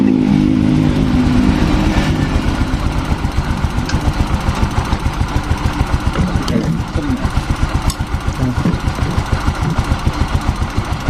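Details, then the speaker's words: Freshly rebuilt Yamaha Fino 125 scooter engine idling with a steady chuff and light tik-tik-tik from loose valve clearance; valves, intake still slightly loose, then readjusted. "Nah, ini bisa teman-teman dengarkan nih. Ini di sini ada suara tik tik"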